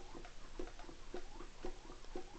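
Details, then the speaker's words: Rebuilt Derbi moped engine with new seals and bearings, turned over by hand with no carburetor fitted and the wrong spark plug: soft rhythmic puffs about twice a second. It still holds some compression. "Par contre, ouais, ça comprime un peu quand même, faut le dire. On l'entend, hein."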